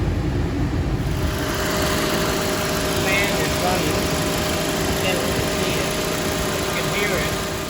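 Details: VW Eos at idle after the AC compressor replacement and the non-working condenser cooling fans were repaired: steady, even rushing whir from the fan with no rattle or wobble. Cooling fan running properly.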